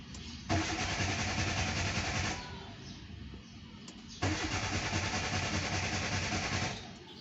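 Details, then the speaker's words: Two long cranking bursts of about two seconds each that never catch, because the crankshaft position sensor has been unplugged or is loose; the battery and starter motor are good. "Esto significa que si el sensor está dañado, o el sensor está suelto El motor no arranca"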